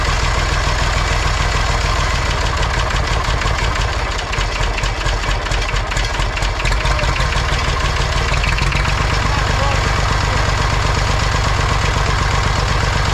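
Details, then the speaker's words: Massey Ferguson 35, Perkins A3.152 diesel, after head gasket replacement: a steady, even idle clatter with regular firing and no misses or knocks. Normal idle. "all right she runs as good as she looks now i just ran her up and down the street a bunch of times at high rpm got the engine to full operating temperature"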